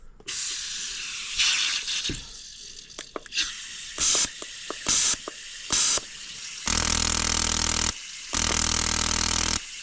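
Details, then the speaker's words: 2003 Sea-Doo GTI RFI fuel injector bench-tested with carb cleaner can fitted to its bottom: sharp hissing spray bursts, short then two long even ones, clean starts and stops; injector spraying properly. "Well, that injector seems to be working fairly well."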